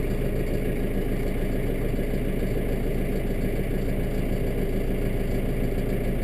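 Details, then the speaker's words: Kubota M7 diesel tractor, 42 hours, in park warming up after a cold start on a mid-20s morning: deep, steady chug, no misses or knocks, uneventful; normal diesel idle. "it's in park pretty uneventful"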